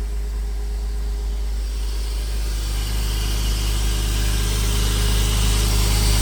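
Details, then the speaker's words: Porsche Boxster 986 after radiator replacement, oil separator work and an air leak fix, started in neutral: a steady, even low idle, slightly rising as it warms, with no hunting or stumble. A normal cold start. "But, I'm going to start it up. It's a big difference now the way the car runs."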